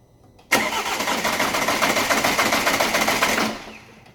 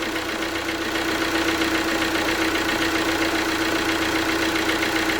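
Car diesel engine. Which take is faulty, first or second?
first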